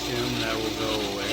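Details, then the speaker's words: Subaru Legacy 3.6R at idle after power steering pump replacement, fluid had dropped to zero: steady mid-pitched whine over the engine from low fluid and air in the system, gone after topping up and bleeding bubbles. "Um, I put in more because this literally went all the way down to zero, you know, and I left it open and you can't hear the power steering pump anymore whining."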